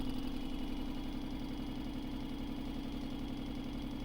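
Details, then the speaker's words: Vibratory pan apparatus, motor held around 11 Hz natural frequency with added power, almost an inch of displacement: steady motor drone, firm mid hum, regular shaking pulse; normal resonant vibration. "we'll stay around 11 hertz it doesn't really speed it up much at all and you can see i get much more let's see how far i can push it"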